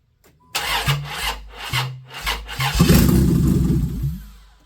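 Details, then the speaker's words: 1995 Plymouth Voyager 3.0 V6 cranks with ragged bursts of firing that die away and won't keep running; timing suspected. Cam marks looked right. "Alright, good morning everybody. That's not good. Sounds like timing's wrong."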